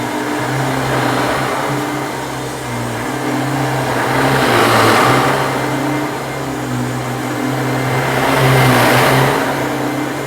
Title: RARE Kenmore twin fan upright with bad bearings